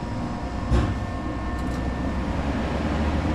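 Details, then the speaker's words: Ice Air PTAC unit tripping breaker, terminals jumpered: heavy steady low hum, no run-up, compressor stuck on locked rotor drawing 40 amps; intermittent compressor locked rotor. "Intermittent lock rotor issue. There you go. 40 amps. Still freaking running."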